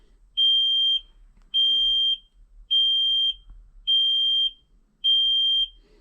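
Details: Kenworth heavy truck, key on during code reading with aftertreatment codes, exhaust brake and cruise control not working: high steady half-second beep repeating about once a second; dash warning buzzer.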